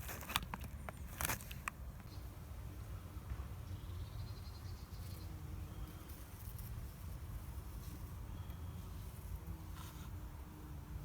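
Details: BMW petrol engine idling with a low, steady rumble and no knocking after loose spark plugs, the cause of an earlier knock, were replaced with new plugs; running smoothly.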